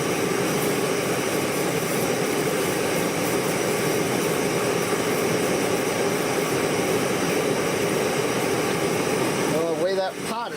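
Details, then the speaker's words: Primus Classic Trail Stove model 2243 at full flame boiling water, steady even roar with no sputtering or popping; normal clean full-flame burn. "shaking right now 21 I bet you it's boiling yeah I got a roaring boil inside there"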